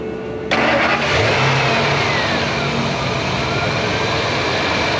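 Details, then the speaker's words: 1999 Ford F450 6.8 V10 after a blown-out spark plug was repaired with a Time-Sert insert and a new ignition coil: catches on the first crank and settles into a steady, full run with no misfire or ticking; it runs healthy. "yeah just turn our start up shift the gears and just let it run"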